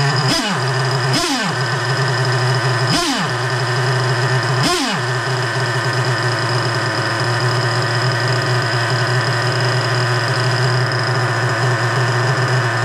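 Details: Freshly rebuilt 3.3 engine with new bearings, after low-speed mixture screw adjustment: a few sharp rev surges, then a steady even idle with constant tone and no hunting; idle now normal.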